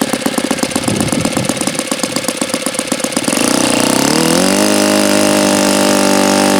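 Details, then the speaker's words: Saito FA-82a model four-stroke engine, very low time, OS F plug, untuned: even popping idle, then a smooth climb to a clean steady high run with no misses; phenomenal, healthy running. "Well, this is a phenomenal running Saito engine."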